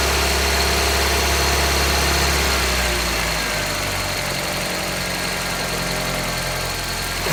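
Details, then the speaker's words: 1995 Geo Prizm during vacuum test, hand vacuum gauge on an intake port, engine getting hot: idles, then on throttle blips the revs stumble and hesitate and bog instead of climbing cleanly; stutter under throttle, cause undetermined. "You can hear the car starting to stutter a little bit. Here's me using the acceleration."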